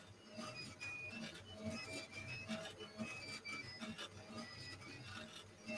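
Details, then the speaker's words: Newly assembled Flsun QQ-S delta 3D printer while printing: stepper motors sing in shifting tones over faint irregular ticking; source unclear, print unaffected. "well whatever's making that noise it's not bothering the print at all and it didn't change much since it went up"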